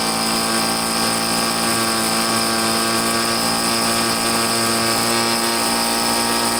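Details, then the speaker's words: Troy-Bilt two-stroke leaf blower after carburetor cleaning and slight tweak, refuelled (had no gas), air cover off: high steady buzzing whine at constant revs, no surging or stumbling; normal running. "i only got to tweak the carburetor just a little bit it seems to be running good so i'll start it up now and you can check it out for yourself"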